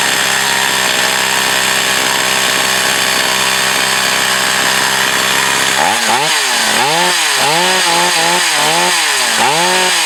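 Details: Echo CS 4500 chainsaw, stored for unknown years, carb rebuilt, high-speed needle slightly adjusted, cutting wood: a high steady two-stroke scream whose pitch dips and recovers with each pass; it pulls cleanly under load and runs healthy.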